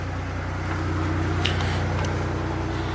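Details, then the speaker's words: 1990 Oldsmobile Toronado Trofeo 3.8L V6, cold, after line work to fix the idle: even, raised idle with no stumble or hunting; owner considers it normal cold fast idle. "actually you know what now think about it I think that's normal Idol when it's are cold"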